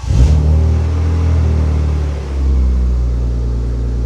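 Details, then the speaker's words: BMW E36 328i M52 after cam cover gasket replacement, not run for a while: short blip then smooth even slightly fast idle, no stumble or misfire; normal, slightly high idle. "high idle there, but it's not been run for a while. That's not misfiring."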